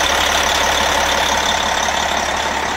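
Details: MCI coach with Detroit Diesel S60 DDEC6 (425hp @ 2100rpm) after repairing the external engine wiring harness: steady, even idle with a smooth beat and no stumble, all 6 cylinders firing.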